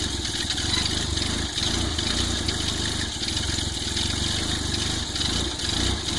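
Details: Volvo 940 turbo warming up on cold start: uneven lumpy idle with wavering low rumble and hiss over the top; rough cold-start idle, cause unknown.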